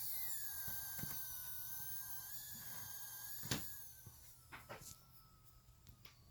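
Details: New ASUS ROG PG279Q G-Sync monitor on DisplayPort at 144 Hz, speakers disabled, PC off: a high, airy hiss with faint thin whistling, fading midway, then small scattered ticking clicks.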